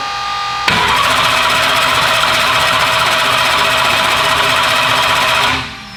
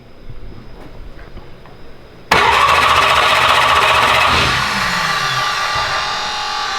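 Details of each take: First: Turbo race car on Holley EFI with MSD ignition, first fire-up attempt: steady fast cranking whir about five seconds that never catches, then stops; crank no-start because there was no spark. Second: First fire-up prep on the turbo build "Slick Rick": the starter is bumped to spin the engine and build oil pressure, with oil moving through the turbo via a scavenge pump. Fast, even churning with no firing or knocks; normal clean cranking.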